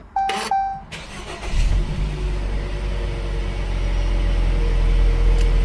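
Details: 2018 Jeep Cherokee with intermittent hot no-start (cranks fine), after throttle body cleaning and relearn: chimes, short crank, engine catches and settles into a smooth even idle, RPM rising smoothly to about 1500; clean, healthy start.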